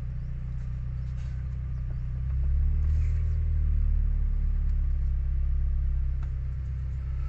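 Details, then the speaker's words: Used Toyota Vios engine health check at idle, from inside the cabin: a low, even rumble with no misses, knocks or shake means the engine is not misfiring or running rough, so it is healthy. "Nah jadi kalau bunyi knalpot seperti ini dia tidak merebet itu berarti Mesinnya tidak pincang"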